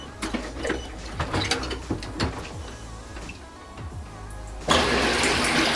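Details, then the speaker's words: Aiper cordless robotic pool cleaner fully submerged after switch-on beep; handling clicks then a steady rushing water jet, taking water in one side and blowing it out the other, normal operation. "pretty much what happening right now is the fact that it's going water to one side and it's blowing the other side"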